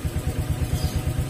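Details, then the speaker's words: Honda Vario scooter that died on sudden acceleration, after cleaning with petrol and reassembling: steady even idle putter with soft regular pulses, no stumbling or surging; healthy. "been removed , but it's still attached, so the sound is still smooth, it doesn't get loud if you don't use it."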